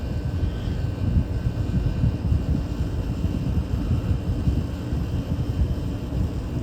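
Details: 1983 Gibson SlumberMaster window air conditioner cooling for under five minutes: steady low compressor and fan hum, no knocks, rattles or cycling. Already a 20-degree difference, vent air dropping into the 50s/40s. Running normally.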